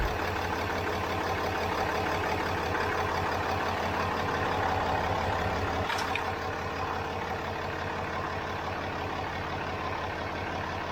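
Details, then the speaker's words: 4th gen Ram 2500 6.7 Cummins diesel idling after coolant flush with distilled water and Sinister Diesel coolant bypass filter kit install. Steady even diesel clatter about three pulses a second, no misses or knocks; running good, normal idle. "It's running good."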